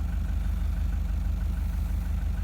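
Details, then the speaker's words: Toyota Prado 1KD-FTV diesel at 273,000 km idling with a low, uneven thumping beat and rocking; injection volume readings show worn Denso injectors causing the rough idle. "injectors have got problems big time right I wonder why here's your answer 273,000"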